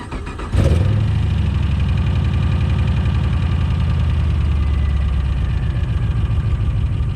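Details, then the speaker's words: 7.0 L (427 cu in) LSX engine build: quick crank, catches at once and settles into a deep, steady, even V8 idle with no misses or knocks; runs great. Some smoking noted, owner suspects valve cover gasket oil leak. "runs great. Everything in there is fine."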